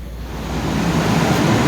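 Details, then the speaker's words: Large Trane package AC unit at a manufacturing plant, restarted after a high-pressure trip and condenser coil cleaning, some coil damage; steady rushing airflow building smoothly as fans spin up, no rattles or scraping: normal condenser fan operation, airflow improved. "airflow does feel much better now not perfect but better than it was it's a good sign"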